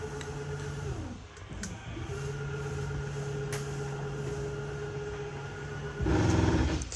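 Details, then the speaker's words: 2022 Jayco Eagle 330RSTS slide-out extending: steady pump drone, then a clicking clatter at full travel, which indicates the slide is fully extended. The same noise occurs on retract; this is normal operation. "as soon as you hear that clicking sound that's going to be your indication that uh the sound is fully extended it's gonna make that same noise when you uh retract it"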